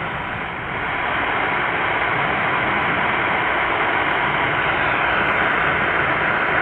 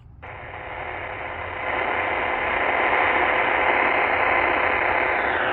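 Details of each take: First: Hash-free supercharged Qodosen SR-286 radio on AM 520 kHz with whip antenna, volume nearly maxed: even hiss with no buzz or whine from the digital display; clean empty-channel static. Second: Supercharged (loopstick-transplanted) Qodosen SR-286 radio on AM 520 kHz with whip antenna: steady rough hiss with buzzy digital-display hash on an empty channel, rising with a hand near the cabinet or volume changes.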